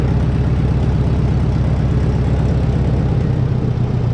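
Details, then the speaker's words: Case 400 gas tractor with loader, sat outside 10 years, revived with loose plug tightened, fuel system cleaned, new belts: warm restart fires right up, even steady low beat without misses or knocks; ran rough about two minutes when cold; normal warm idle. "See, once it's warmed up and been running for a while, it just fires right up and runs really smooth."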